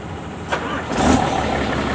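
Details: Hino Lohan diesel truck that stalled on braking/turning and needed throttle to start, after injection pump (bospom) adjustment, started without pressing gas; short crank, catches straight away, steady even idle.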